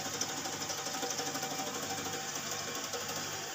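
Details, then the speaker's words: Refrigerator with blocked capillary tube: faint hissing refrigerant flow pulsing unevenly about three times a second, sputtering instead of steady, as the line intermittently clogs. "Oke jadi tanda-tanda suara buntu seperti ini guys [Musik] ini adalah tanda-tanda kulkas buntu seperti ini"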